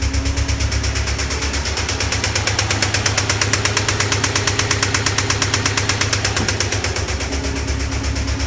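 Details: 2008 Subaru STI at idle: sharp rapid even knock keeping time with engine speed; rod knock from a spun rod bearing, engine rebuild needed.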